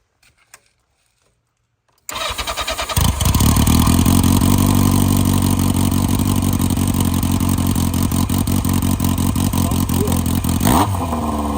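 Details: 1982 Yamaha Seca Turbo, one-owner barn find, started with the exhaust removed: cranks, catches and settles into a loud, even open-exhaust idle with no misses; engine sounds healthy, though it was smoky, suspected oil in the exhaust packing.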